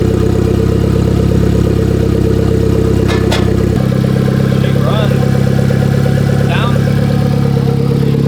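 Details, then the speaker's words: Salvage Genesis Coupe started on trailer in rain, intake missing; loud, raw unmuffled rumble at steady idle, engine otherwise sounding healthy; exhaust broken off near the engine. "sounds exhaust broke off right there yeah I know it sounds pretty healthy though"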